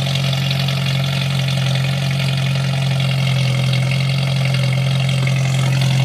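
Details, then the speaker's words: 1989 Jeep YJ with 1995 2.5 EFI engine and five-speed swap, cold start in snow, in neutral: steady low drone with busy, slightly uneven clatter, almost diesel-like, while warming up; owner later notes throttle sticking and a miss. "Start it right up. Let that warm up for a bit. Sounds like a diesel almost."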